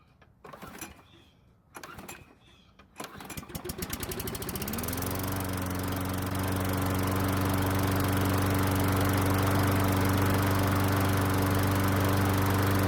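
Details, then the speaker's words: Stolen-and-recovered John Deere pull-start mower, cold: three short bursts of pull-cord cranking, then it catches and settles into a steady, even run; took four pulls, owner suspects flooding from pressing the primer bulb too many times; hard starting. "now it did take four pulls but eventually it started so what i think happened was that since i pressed the bulb so many times i basically flooded the engine and it took a few pulls to clear it"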